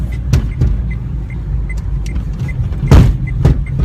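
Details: 2006 car driven in severe frost over bumps and rails: hard, hollow knocks from the rear, from a rear shock absorber seized by the cold.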